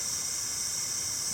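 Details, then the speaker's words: Purging the A/C charging line with a can of R-134a before charging, to clear the air out: a steady bright hiss of escaping gas with no pulsing, a normal purge. "I'm purging. Okay, no more purging. No more need to purge it. So I've purged the line. That gets all the air out of there."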